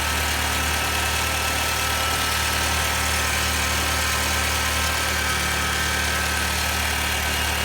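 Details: 2006 Honda Civic EX petrol engine idling with constant harsh, gritty grinding; it starts a little after startup and lasts a few seconds after shutoff. VTEC solenoid, alternator, belt tensioner, cam and crank sensors, power steering pump recently replaced.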